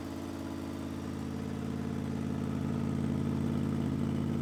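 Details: 2005 Honda VFR800 V4 with gutted exhaust, idling after a cold start after sitting 10 days in snow with no battery charger: even, throbbing pulse about three beats a second, swelling slightly as it warms, no misfire or rattle; healthy idle.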